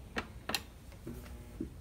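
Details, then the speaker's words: Hotpoint (GE) washer in spin-mode child-safety routine, not connected to water: two crisp clicks as the inlet valves open for two sprays, a normal sound; this machine's roaring spin is blamed on compromised bearings. "It'll spray two sprays of water. I don't have it hooked to water, but you'll hear the valves open."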